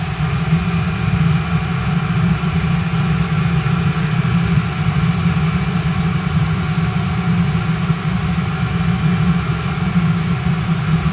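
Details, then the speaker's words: Restored Eberspacher BN4 heater, full-load test after cold start, now fully heated running on spark plug with glow plug off: deep steady rumbling burn, even hum, no surging or popping; normal full-load running. "Okay, when we hear the RPMs increase here, then we're going to know that it's kicking off the glow plug, and it's going to run solely on the spark plug. And then it's an actual, when it does that, it's fully heated up and running."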